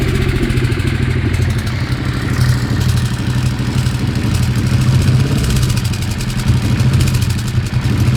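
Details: Weird engine sound: idling engine with an uneven, rattly clatter over the low exhaust beat, a knock of unclear cause.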